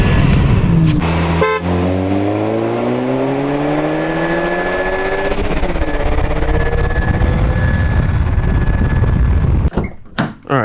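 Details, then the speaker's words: 2012 VW MK6 GTI 2.0T pulling hard, before DV+ upgrade: rising engine tones with a thin steady whistle or scream on top; leaking factory diverter valve not holding full boost, replaced with Go Fast Bits DV+. "You can clearly hear the diverter valve like screaming basically."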